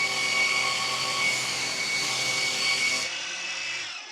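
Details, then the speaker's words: Revised Maxflow MPro 25 pressure washer, ramp-down after trigger release: shrill steady high squeal over coasting motor whir, dropping away suddenly at the end; motor squeal on ramp-down. "But you hear that squeal? Oh my gosh, that's so bad."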